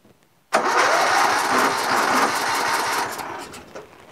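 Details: Briggs & Stratton Intek 20 hp on an MTD Yard Machines lawn tractor, with safety switches bypassed and a third replacement carburetor with a working fuel solenoid fitted: starter churns about three seconds without firing; the fresh carb has no fuel yet.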